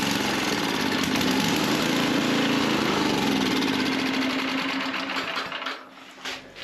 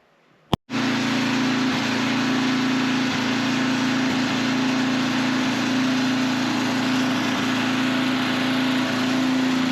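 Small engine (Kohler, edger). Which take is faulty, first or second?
first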